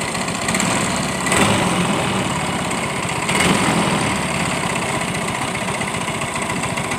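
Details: Yamaha Mio M3 125 scooter, customer complains of rough engine noise: rattly ticking from fan/CVT area swelling with each throttle blip; drive and fan pulley splines worn from running without CVT grease.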